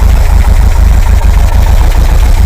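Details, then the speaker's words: Air-cooled VW 2-litre flat-four in a bus after a top-end rebuild, 2,000 km since; vacuum advance reconnected, steady even idle at 800-odd rpm before warm-up, carb balancing and emissions check. Smooth chuff with no hunting or misfire. Normal idle. "Yes, 800 and a bit RPMs. Right. So what we have to do now is let that warm up, and then we can start looking at the emissions and the balancing of the carburettors."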